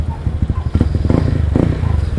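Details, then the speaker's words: Yamaha Aerox V1 scooter rebuilt to 195 cc with 4S1M head, tested after the rebuild: small single-cylinder engine puttering with an even low beat, firing steadily and running cleanly. "Kung makikita niyo is all goods na at umaandar na siya mga par."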